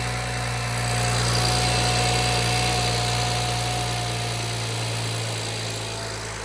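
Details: BMW E92 335i N54, idling just after a restart (65 psi fuel pressure) following refitting of new port injectors that leaked and caused hot-start problems, with port rail O-rings reseated; smooth steady hum, no misses or ticks; normal idle.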